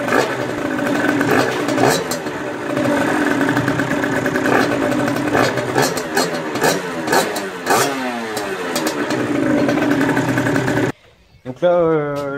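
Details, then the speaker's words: 2017 Beta 50 RR two-stroke with 70cc Top Perf kit and 21mm Dell'Orto PHBG carb, after throttle cable replacement: buzzy idle, crisp revs on each blip dropping straight back without hanging; throttle and engine healthy. "vérifiez bien que votre moto etienne le ralenti comme avant que s'accélère pas tout seul en fait"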